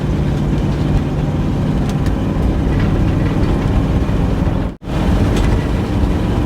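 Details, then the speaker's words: 1962 Cadillac Sedan DeVille with a Jetaway automatic, pulled from a New Mexico desert: heavy engine drone revving high with no shift drop, transmission not upshifting because the throttle linkage is misrouted (linked backwards). "see we're just revving it yeah we're just revving the dang thing it's definitely not getting them"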